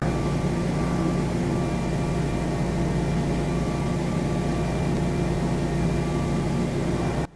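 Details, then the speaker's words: Generac standby generator heard through open cellar windows, just after starting on retry and taking the house load via the transfer switch: a loud, steady drone with an even hum, then a clean cutoff. A healthy generator. "there it goes there it is now the house is on generator power"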